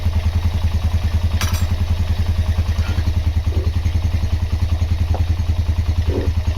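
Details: Honda GL Max Neotech single-cylinder engine after restoration/rebuild: steady regular beat at fast idle, even firing, no knocking or chain rattle; normal running.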